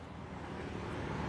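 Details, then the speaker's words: Carbureted Honda Beat scooter that cranked but wouldn't start. The starter wiring was reworked. It now runs: a small engine putters quietly and evenly at a low steady idle with no misses; normal idle. "Nah, menyala, Mas Bro. Menyala ya."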